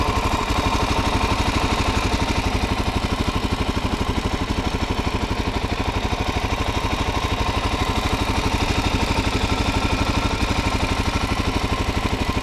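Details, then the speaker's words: 2019 Suzuki DRZ400SM, stock engine, 452 miles, one service: even, quick single-cylinder thumping at idle with light, steady valve clatter on top, then light revs; somewhat noisy by nature but healthy. "I mean, as you can hear, they are a little bit of noisy engines, but overall I think if your bike sounds anything like this, you'll probably be good."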